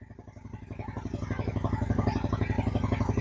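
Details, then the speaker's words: 2000 Honda Shadow ACE 750 V-twin after fresh fuel reached the carbs, which had been starved of fuel; the choke is pulled and the idle picks up to a steady, even loping beat with no misses. "Oh my god, it sounds great. Sounds way better than it did. Oh, perfect."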